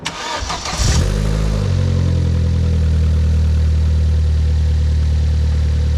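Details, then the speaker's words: Vauxhall Corsa VXR started after engine bay reassembly: catches after a short crank and settles into a smooth, even idle with no hiss or whistle; no boost leaks heard so far, not yet revved or driven. "everyone she's running sounds like she's uh doing okay doesn't sound like there's any uh boost leaks at the moment"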